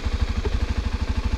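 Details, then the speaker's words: 2017 Kawasaki Ninja 250 SL, 250 cc engine idling before a test ride: quick, even thumping with a faint high whine (treble-like whir) on top, steady and regular; normal idle. "Ayo kita coba dengar dulu soalnya ya suaranya begini nih dipakai mesin itu ada seperti desingan gitu ya jadi suaranya ada treble nya"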